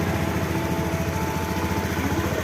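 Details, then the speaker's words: Honda Beat FI ESP scooter that kept blowing fuses and lost all electrics; cause was wires touching and shorting. With a fuse fitted, the starter fires it and it settles into a steady, even idle with no misses or knocks. Fixed. "Coba kita starter ya ini sudah hidup pastinya teman-teman ya berarti sudah beres"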